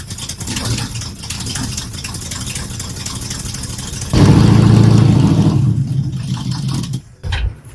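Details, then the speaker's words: Squarebody Chevy truck engine, started with starter fluid: cranking, then a sudden loud catch and a few seconds of rough running that fades and stalls; fuel starvation is likely. "Oh! Died on me."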